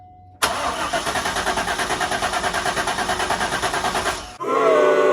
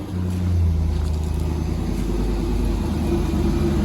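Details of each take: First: Abandoned 90s Corvette C5, manual, first start attempt after replacement PCM/ECU install: starter cranks steadily about three strokes a second for four seconds, no firing; fuel pump not heard priming, security relearn pending. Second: Manual Corvette C5, previously a non-runner, after a replacement PCM/ECU was installed and the fuel pump was jumped across relay terminals 87 and 30: after a rev it settles to a deep, steady, even idle and sounds good. The fuel pump fault itself is still unresolved.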